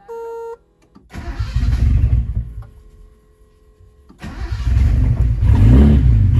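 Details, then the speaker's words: Turbo Nissan 280Z cold start after fixing a vacuum leak and tightening loose manifold bolts: warning chimes, then the starter catches and it settles into a firm, even cold idle. AFRs have dropped dramatically and it runs normally. "a little cold so we'll give her a second our afr's have now gone down dramatically because i fixed the vacuum leak"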